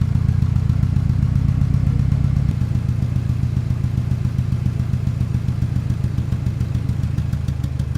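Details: 1997 Ford Ranger rough idle: low, lumpy idle with uneven thump about twice a second; cylinder 1 dead at 60 psi vs 180 psi others, leak-down air rushing from crankcase breather, oil cap and dipstick tube, cracked piston rings.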